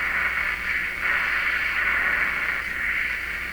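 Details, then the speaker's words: Hallicrafters S-53A receiver after replacing 15 wax/paper capacitors, AM band where 860 used to be received: steady rushing hiss swelling and fading like surf, no station; suspected IF oscillation, not confirmed. "used to get 860 here now we'll just get a swooshy sound that's not very reassuring is it"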